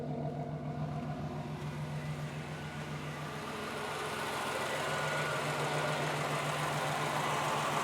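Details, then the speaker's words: 1991 Chevy Lumina Euro with early GM 3.1 L V6, engine hot, slight leak noted. A steady, even low hum with no knocks, misses or ticks as it settles. Normal idle. "So let's go ahead and turn it on for you guys. Got a full gauge cluster. AC and heat controls are there. Runs good. Sounds good too."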